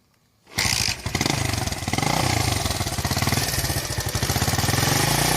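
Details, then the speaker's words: 41-year-old imported Honda XL125S single-cylinder after restoration and cam chain tensioner retightened: catches after short crank and settles into an even beat with no cam chain rattle; normal idle. "Yeah, no cam noise at all on it now."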